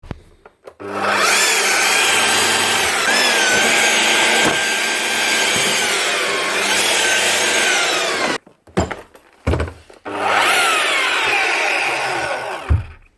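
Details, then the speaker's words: Makita HR5212C rotary hammer runs but won't hammer: motor spins up and winds down freely with a steady whir, no resistance and no impact beats; the steel crankshaft pin has snapped, likely a manufacturing fault. "how free she sounds. No resistance at all. Let's see, she's actually broke the conrod inside."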